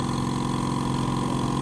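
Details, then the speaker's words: Stanley silent air compressor, the yellow newest unit (6 L tank, 1 hp, 8 kg pressure), switched on and building pressure: steady, smooth mid-pitched hum like an air conditioner, quiet enough to talk over, no knocks or rattles; auto cut-off when full; normal running. "khi mà mở lên nó chạy rất là êm, mình nói chuyện rất là bình thường luôn. Còn nếu như những cái máy nén khí khác đó là anh em nói chuyện nghe không được đâu. Đó, nó chạy như cái tiếng máy lạnh chạy thôi."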